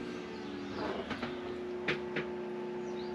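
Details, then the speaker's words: Victron IP22 Blue Smart 12V/30A charger in bulk stage charging a LiFePO4 battery, being turned down from 30 A to 15 A: a low steady hum with some handling knocks, quieter at lower current, which is normal charger hum. "This thing does hum when you're pulling 30 amps off of it. That's about as loud as I ever hear it go."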